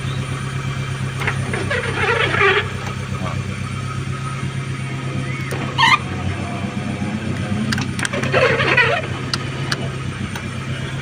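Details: Proton Wira Aeroback power window: scratchy, squeaky chirping bursts from the door over a steady idle, like a mouse inside; the regulator is dry and needs grease.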